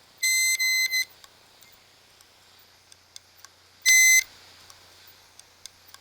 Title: Inside View - A Bad Hard Drive Making Buzzing Noise While Spinning